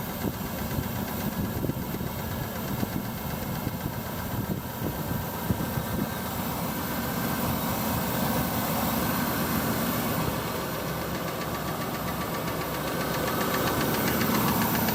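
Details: Mitsubishi Pajero petrol engine idling after new rocker cover and spark plug well gaskets, spark plugs and oil change: steady light knock from driver-side rocker cover area; cause unknown, owner suspects the gasket work; engine knocking at idle.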